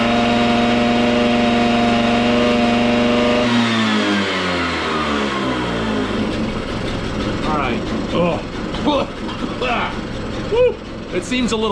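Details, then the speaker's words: Stella two-stroke scooter after spring cleanup and a replacement battery strap: buzz holds then sags and stumbles as revs fall; runs fairly well but boggy, sounds lean, carburetor to be adjusted. "oh well it runs that actually runs pretty good uh it is a little boggy so i'm gonna mess with the carburetor"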